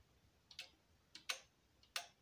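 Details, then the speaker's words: Stereo amplifier speaker protection relay: three sharp clicks, with the channel A relay click quieter than channel B. It randomly clicks louder again, indicating the channel A relay is almost broken (worn contacts or weak coil) and needs replacing. "but now randomly it's starting to click louder so this is a clear sign that the relay which controls the channel a is uh well almost broken"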